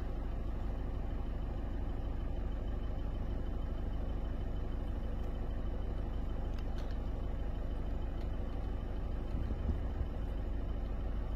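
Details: Peugeot 206+ diesel after FAP (DPF) additive refill, diagnostics and preventive hydrogen decarbonising, faults cleared: steady, even idle with smooth low rumble, no knocks, misses or hunting; healthy, no remaining faults.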